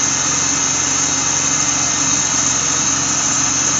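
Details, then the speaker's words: 1997 BMW Z3 2.8 L after replacing the idler and tensioner pulleys (a water pump was replaced earlier without fixing the squeak): smooth, even idle with a steady hum and no squeak or rattle. Normal idle. "I don't hear no funky noises now."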